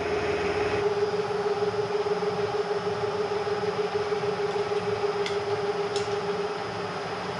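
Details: Bridgeport Series 1 2HP variable-speed J-head after repair: smooth, even hum with a clean steady mid tone and no rumble or knocking. Quieter than ever, barely audible even at 600 rpm. Normal smooth running.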